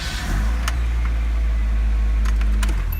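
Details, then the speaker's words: Car with a no-start fixed by tightening a loose negative battery terminal: engine catches promptly into a steady deep even idle with a few light clicks; starts normally. "Starts way better with a tight battery connection, so just check that out."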